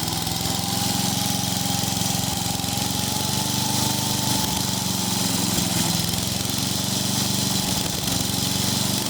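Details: 1995 Yard Man 8 hp chipper shredder, single cylinder, after low-compression repair (48 psi before, 68 psi after without oil), suspected valve issue: steady, even buzz at constant speed with no stumbling or surging; normal running.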